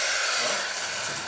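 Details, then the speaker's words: Espresso machine after service for no power and overheating: a strong, steady high-pitched steam hiss from the steam wand with no sputter or gurgle; good steam pressure. "excellent steam pressure coming out from the steamer one"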